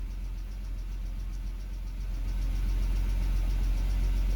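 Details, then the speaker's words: 2007 BMW X3 petrol engine at idle, unevenly with a lumpy low pulse, RPM hunting up and down; it stalls at lights and low speed. Scan shows mass airflow, intake VANOS faults 2A82/2D06 and misfires in cylinders 1, 2, 5. "As you can see there, look at the RPM going up and down and dancing RPM. How about that?"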